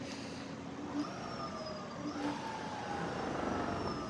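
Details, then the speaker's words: Wolf King GT Pro scooter rear wheel after brake repair with new non-factory pads replacing completely worn ones: spins freely with smooth, slightly wavering motor whine, no brake rub; some rear wheel vibration noted. "the brakes are not rubbing anymore and we have good brake pads in there"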